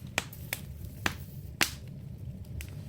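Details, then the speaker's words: Damp, poorly drafting Jetmaster fireplace relit with paper and kindling and the damper plate set: sharp irregular pops and snaps over a quiet low rumble, a lively crackle showing the fire now draws well. "But as you can hear the crackling, that's what we're always aiming for, the crackling."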